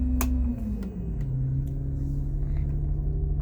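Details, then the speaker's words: 2008 Blue Bird All American RE CNG school bus, fast idle switch engaged for warm-up or air brake test: deep rumble whose note rises within the first second, then holds an even, smooth fast idle; normal. "Fast idle. Hear that come up? Comes in handy on an air brake test when you want to warm up the bus in the morning."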